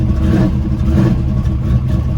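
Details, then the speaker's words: Carbureted V8 El Camino, gas pumped before starting, battery voltage reading a little low from a loose positive cable: deep, steady rumble with slight rev swells, no knocking or ticking; fires and runs cleanly. "but let me show you how it starts up. Really good. Carbureted, so pack the gas a little bit."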